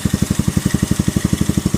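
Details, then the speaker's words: Keeway CR152 single-cylinder motorcycle, 2,000 km, stock carburetor and jet with bullet pipe, before Nibbi 28mm install: quick, even thump idling clearly too fast; idle speed too high, likely a stock carb idle setting problem. "So kung naririnig ninyo masyadong mataas yung idle, siguro nagka-problema sila sa sa minor nya kasi stock pa to"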